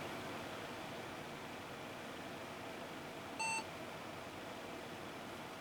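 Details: Windows 98 build PC restarting after BIOS date/time were set and saved with F10: one short clean beep over a quiet room hum. This is a normal POST pass; it then detects the SSD and tries PXE network boot.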